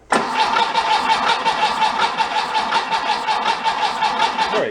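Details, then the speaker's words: 1966 VW Bus engine, pulled from a barn and out of the vehicle, cranked on a jumper pack before a compression test: starter whine with an even chuff on every compression stroke and no skipped beat, so all cylinders seem to be holding compression. "you can hear each cylinder squeezing compression it doesn't have that skip in it like one cylinder is dead"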